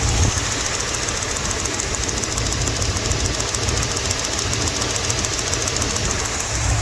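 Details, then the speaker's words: 1977 Ford F600 farm truck, sat about 5 years: steady idle with a fast, sharp ticking at firing rhythm from the driver's side, first suspected as spark plug wire arcing; found to be a loose spark plug moving in the head; all plugs to be tightened. "there's a noise over here on the driver's side it sort of sound like spark plug wire arcing out"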